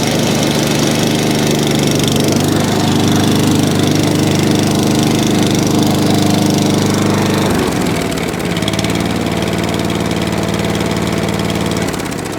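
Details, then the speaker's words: ATCO 14SE cylinder lawn mower with Tillotson carb, holding fuel, started on choke; steady, even single-cylinder beat holding speed, sounding properly fuelled; runs lovely, normal running. "So that's lovely."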